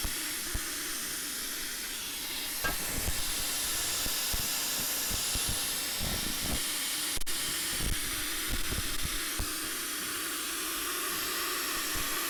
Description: Using the iPhone, microphone, and an APP to hunt an exhaust leak when a Smoke Machine does not work.